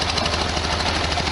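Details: 1973 VW Super Beetle air-cooled flat-four idling after valve cover gasket and oil/filter change: a steady, even clatter with a regular beat and no knocks or odd noises; normal idle.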